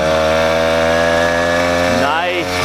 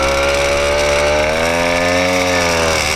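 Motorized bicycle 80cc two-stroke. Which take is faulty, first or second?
second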